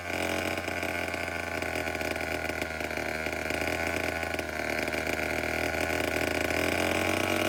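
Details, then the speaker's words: Vintage Homelite 7-19 chainsaw after carburetor cleaning, still needing a new diaphragm, fuel tank cleaning and fuel line repair: small two-stroke holds a steady, even buzzy idle with no stumbling, running well for its age. "But other than that, the whole thing runs pretty good to be as old as it is."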